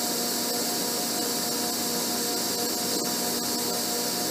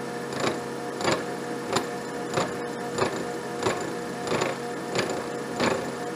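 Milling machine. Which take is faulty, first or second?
second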